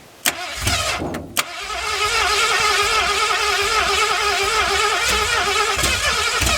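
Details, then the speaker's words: 1981 Ford Mustang 5.0 V8, parked since 1996, with 14-year-old oil, fed from a fuel bowl, no radiator: a few cranking coughs, then smooth even idle, no knocks or ticks, almost 50 psi oil pressure; sounds like a fairly new engine. "She's tight. It sounds like a fairly new engine."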